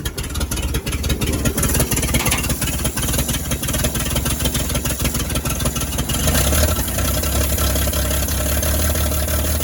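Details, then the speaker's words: 1938 Chevy Master Deluxe six, chilly Alaska September, on choke with rebuilt carburetor and starter from a 1942 G506: starter churns, then even, steady low idle with no knocks or stumbles; runs very well, normal idle. "foreign this thing runs just way too good things absolutely awesome"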